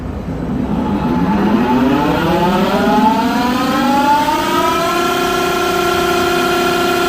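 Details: Smithy AutoMate CNC LT1440 lathe, 2 years old, about 800 spindle hours, before spindle replacement, about 83 dB at 1800 rpm sped toward 2500; steady whine climbing in pitch then holding level.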